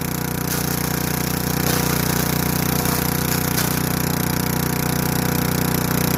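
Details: Craftsman Eager 1 4hp chipper vac (model 987.799790, auction flip) in chipper mode. Steady, regular drone while sticks crackle through, keeping speed. Runs clean under load.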